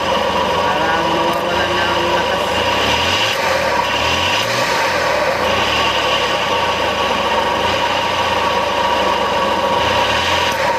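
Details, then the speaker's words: Suzuki K6A engine running with low power and heating; rough gritty grinding-mill sound constant over idle from the hot, shiny belt tensioner bearing on the alternator/water pump belt; balls worn, needs replacement, can cause overheating. "So Ayan guys yung tun ni parang gilingan yan so yan yung dahilan niya guys"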